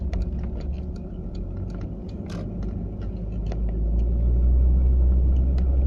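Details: A 940 at about 30 to 40 mph: light ticking, about three or four per second, rides over steady low road and engine rumble from the passenger side; the source is unconfirmed.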